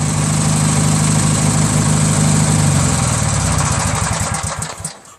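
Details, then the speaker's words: Craftsman DYT4000 tractor, 14hp Briggs opposed twin repower, low idle with electric PTO and mower engaged: even steady twin beat, no miss or knock before winding down, charging 12.2-12.25 V; engine runs fine, stator left unchanged. "so as you guys saw uh with the engine idling like this at low idle still charging slowly at 12.45"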